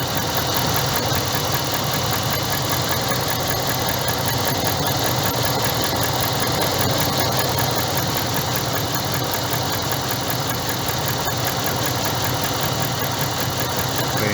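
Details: 2012 Dodge Ram with an engine fault, coil spark being tested by unplugging one coil (the computer then cuts that coil's signal): uneven idle with a lumpy stumble about twice a second; one cylinder dead, misfiring.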